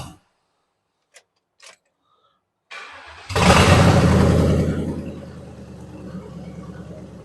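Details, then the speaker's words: 2000 Ford Crown Victoria police car, verified 45,000 miles, rescued from junkyard, second start attempt: after a couple seconds of cranking the V8 catches, flares and settles into a smooth, even idle with no misses; normal start. "Hey, listen at her. Not like a race car, but it'll work. That thing runs smooth."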